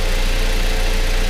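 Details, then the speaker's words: 2005–2015 Toyota Tacoma 2.7L four-cylinder after spark plug replacement: smooth, even low idle with a steady beat and no misses, ticks or knocks; running normally. "everything seems to be running normally we can call this job well done"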